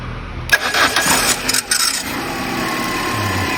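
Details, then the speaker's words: Peugeot 207 NFU 1.6 petrol (Bosch ME7.4.4), earlier no-crank with P0616 starter relay code and repeated clicking: after replacing a component, starter cranks briefly and engine catches, settling into a steady even idle; normal start. "ما شاء الله دور السيارة، بس السر من جوا وقت تضرب مارش ما عم تدور."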